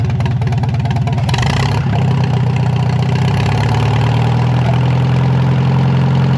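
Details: Narrow-front Farmall M tractor four-cylinder, previously stuck, first run in many years after head work: brief rev, then steady low loping idle, even and unbroken, warming the oil; healthy, though carb could use some tuning.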